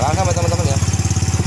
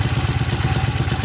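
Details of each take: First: Yamaha Mio M3 scooter with 58 mm piston, after replacing the camshaft, rocker arms and valve seals and cleaning: a quick, even idle putter of about seventeen beats a second with no knocking; earlier rough, hard-starting idle fixed; only intake filter and oversized open exhaust heard. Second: Yamaha Mio M3 scooter with 58 mm oversize piston, reground camshaft and modified CVT, hard starting: harsh rapid ticking and rattling on a lumpy idle from the front of the engine; worn camshaft, rocker arm and valves.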